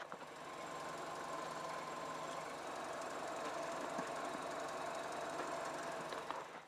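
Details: MINI clutch noise with the engine off: a thin squeal over fast, dry ticking from the clutch area, still present after four repair attempts including a new clutch kit and clutch fork work; the dealer now calls it normal.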